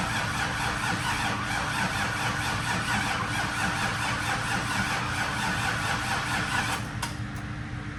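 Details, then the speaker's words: 2002 Trans Am, first start after swapping in a fresh 6.0L LQ4 V8: steady fast cranking at about two beats a second without catching, like an E85 cold start; extended cranking, battery charger to be added. "Well, it's turning. Did something right. I'm gonna put the battery charger on it. Do it. Kind of sounds like an E85 cold start. Just doesn't want to fucking go."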